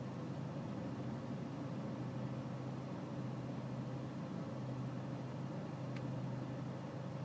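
Low diesel rumble at idle with a faintly unsteady, lumpy hum under it; the idle sounds rough, cause not evident.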